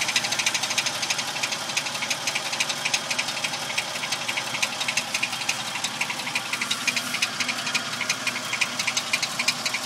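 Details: Toyota Tacoma at idle: fast, thin metallic ticking or rattle about four per second over a quiet idle; owner trying to locate the source, still unknown.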